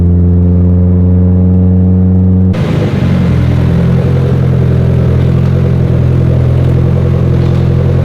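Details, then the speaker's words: Mitsubishi Evo X with freshly rebuilt engine, run above 45 psi boost on pump gas: smooth idle, then harsh clattering knock rising with revs, RPM-dependent; internal engine damage suspected, teardown planned. "Well, I'm currently limping the car back to the shop, but something's making noise and it's RPM based, which is about the worst."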